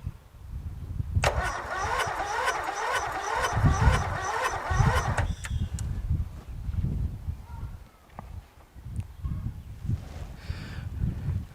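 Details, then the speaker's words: Briggs & Stratton 13.5 hp flathead engine on a riding lawn tractor with signs of a mouse nest inside: starter whirs for about four seconds at a sluggish, laboured pace and the engine never fires; slow cranking, no start. The owner tries a battery charger, which helps slightly. "oh man it just doesn't seem like it's spinning fast enough does it"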